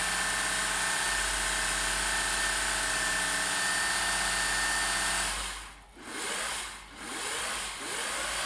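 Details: Vintage Singer 401a slant-shank sewing machine after cleaning, oiling and greasing, run by pressing the pedal. Smooth, even motor hum holding steady speed for five seconds before winding down; the machine runs clean and healthy.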